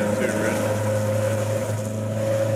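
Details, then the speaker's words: Nissan Gazelle S12 with cannon muffler exhaust, heard in the cabin while driving: constant booming hum below about 3000 rpm, sounding fine once higher in revs; exhaust drone. "when it's lower than like 3000 rpm it's so droney it just sounds like really that sounds a bit there"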